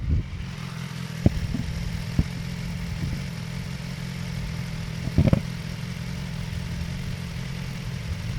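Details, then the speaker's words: Hot BMW S1000XR inline-four running: steady hum with a few light, scattered valve ticks; normal when hot, only worrying if it grows louder above 4,000 rpm. "If your bike is ticking 3,000 to 4,000, you're good. That's normal, especially when it's hot. It's fine."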